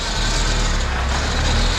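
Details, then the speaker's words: PT Cruiser GT 2.4 turbo race car on jack stands, wheels spinning in gear after replacing CV axle with stripped splines that caused grinding; steady drivetrain hum through second, third, fourth, no grinding or clunking; transaxle healthy. Motor mounts noted shot. "Third, fourth, yep. That's good. We got all the gears, we're good."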